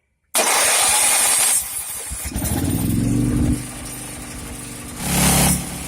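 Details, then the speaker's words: Emergency gas generator, monthly check after sitting a month, carburetor and battery replaced at shop, failed earlier attempts for unknown reason: fires up straight away, steady even running drone with one brief load surge; normal start and running. "What started out to be a little video turned out to be an adventure, but it is running."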